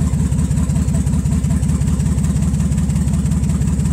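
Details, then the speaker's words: Nissan Z31 at idle after rewiring fuel injectors back to pre-recall firing groups to chase a misfire: steady low idle pulsing about 160 times a minute with slight unevenness; runs fairly evenly, misfire not ruled out. "all right now your negative terminals connected guys already start hopefully it's not misfiring"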